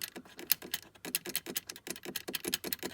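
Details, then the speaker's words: GMC Sierra/Chevy Silverado dash: quick, uneven plastic ticking and chattering heard while driving, from a dash panel held by loose screws; the fix is tightening the screws with a 7 mm driver. "that's the noise it makes when you're driving down the street."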